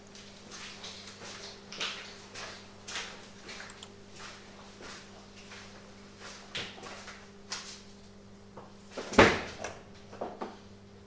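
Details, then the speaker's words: Mercedes W124 auxiliary heater water pump, newly replaced, powered by bench supply: soft steady pump hum with irregular gurgles and knocks as air bubbles are purged from the heating circuit. "now you can hear that the air has been cleared out of the heating circuit that's what the strange noises are from the pump it's air bubbles basically"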